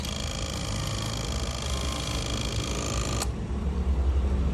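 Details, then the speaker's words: Yamaha V-Max at key-on after fitting a replacement V-boost control module: a small servo motor whirs over the fuel pump hum for about three seconds, then stops. Normal V-boost operation; the old unit's bad solder contact had disabled V-boost. "so that has fixed our problem it was the solder in our old unit wasn't making contact and our vboost wasn't working"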